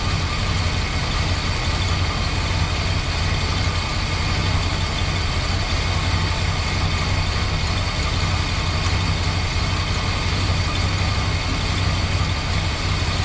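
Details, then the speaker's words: 1968 Chrysler Newport 383 big block with a new Edelbrock 750 four-barrel carb on a Weiand intake, no choke, starting to warm up, timing being checked. A deep, even V8 burble holding steady revs with no misses or knocks. Normal idle. "so yeah she starting to warm up a little bit sounds good it sound better with d off"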